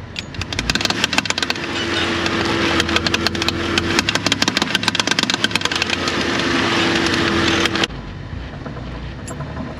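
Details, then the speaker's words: 2007 Dodge Caravan 3.8 turning during parking-lot maneuvers: sharp, rapid clicking about three times a second from under the front suspension over a low engine hum, with heavy vibration (possible motor mount). Points to a worn CV axle. "lots of clicking noises okay all right well that was fast I think I've heard enough"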